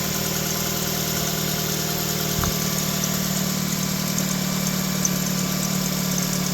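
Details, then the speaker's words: 2006 Nissan Sentra 1.8L at idle after a cylinder 2 misfire (P0302) fix and reconnecting the variable valve timing solenoid (P0075): even idle with a thin steady squeal; owner suspects a pulley. "You hear the squeaking? I'm still hearing a little squeakiness, and I think it's because of the pulley."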